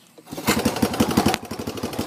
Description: i got it running good now